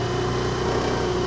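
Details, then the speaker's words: Access 125 BS6 scooter that was jerking and stalling; road test: steady even putter with smooth mid-pitched drone, no stumble or cutting out at low speed even with throttle released; running clean. "ముందుకు వెళ్ళినా కూడా బండి అయితే మీకేం ఆగట్లేదు"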